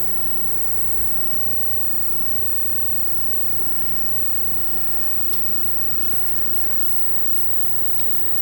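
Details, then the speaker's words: Amazon induction cooktop heating a pot of water, power turned up to maximum setting 10: steady loud buzzing roar with no clear beat, getting worse as power increases; excessive noise. "But here you go. And the more you turn it up, the worse it gets. So that's a 10."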